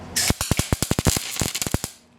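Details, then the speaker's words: Beginner's MIG-style spot welds with welder on the low setting and wire speed around seven; sharp irregular pops and crackles in uneven bursts instead of a steady sizzle, as if struggling to establish a hot weld; welder unsure whether wire speed is too low. "I get that popping that happens it's like it's having a hard time establishing a hot weld or something"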